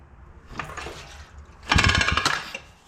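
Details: 70/72cc Coolster pit bike kicked over with a smashed flywheel case and stator: harsh, uneven metallic clatter in rough bursts each kick, no clean crank.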